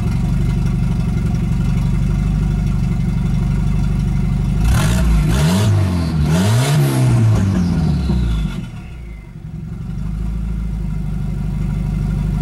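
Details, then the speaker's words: Volvo 245 after turbo swap, idle slightly low: steady low idle rises and falls for a few seconds as the idle screw is turned up, then settles evenly; low idle speed being adjusted. "I do have to turn up my idle just a little bit using the little screw."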